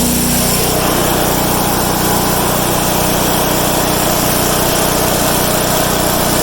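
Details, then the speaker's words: Craftsman/Troy-Bilt/MTD wood chipper, already started earlier, after new blades fitted: loud steady engine roar with constant rasping chew as material feeds through; running strong and cutting cleanly, normal operation. "I'll tell you one thing, it is a loud son of a gun, man. I should have brought my headphones and earphones and ear protection."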